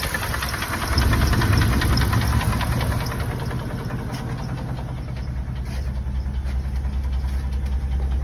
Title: 1995 Dodge Ram 2500 HD 5.9l gasoline with what I think is piston slap